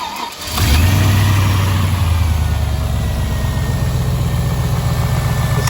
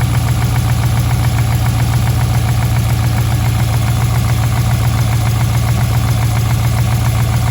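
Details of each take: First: Rebuilt V8 engine, about 3,500 km after rebuild, cold start: quick catch into high idle with a light fast tick over the exhaust, persisting across oils; owner suspects a dead hydraulic lifter, possibly preload error or faulty new OEM part. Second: Rebuilt V8 about 3,500 km after rebuild, with a suspected dead lifter and an unresolved misfire despite good spark, compression and injectors, idles cold with only a light even patter and no heavy lifter tapping: normal cold-start idle.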